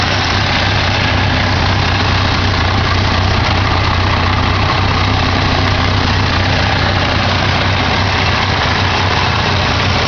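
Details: 1987 Ford Ranger 2.3L four-cylinder, started after sitting a while: low, uneven loping idle that never smooths out; rough idle, owner suspects carburetor needs rebuild or tuning.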